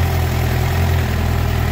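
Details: Suzuki GSX-R750 inline four, about 2,000 km, misfiring, after replacing original spark plugs with new iridium plugs: steady, even low burble with no stumbles or skips; normal idle.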